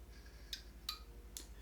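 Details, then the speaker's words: Mesa Boogie RA-100 tube amp converted from 120 to 240 volts, brought up slowly around 100–140 volts: four crisp relay clicks over a low hum as it powers up, fans then kick in; normal. "i can hear the things flat clicking uh because lots of relays in these amps"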